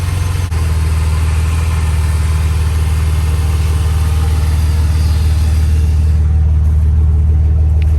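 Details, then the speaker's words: Used 4.0 engine with reportedly 800,000 miles and new gaskets, starts right up and idles with a low, steady, even hum, no knocking or ticking noises; healthy normal idle. "as you can tell this thing runs perfect no issues whatsoever with it starts right up still running great no noise from the motor no knocking none of that sounds absolutely awesome guys"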